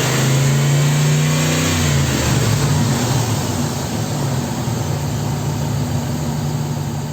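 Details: 2002 Dodge Ram V8, after drying water from coil and spark plug wells on one bank that caused cylinder misfire after an engine wash: quick rev drops to steady even idle with no stumble; check engine light no longer flashing.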